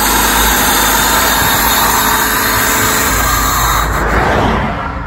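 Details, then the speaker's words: 1997 Honda Civic 1.6L D16Y7, after tracing a no-spark fault to a bad ignition coil in the distributor: catches quickly and settles into a steady, even idle with no misfire; running normally after repair. "we're good all right so weak spark on one distributor the other distributor had a bad coil all together now it's running"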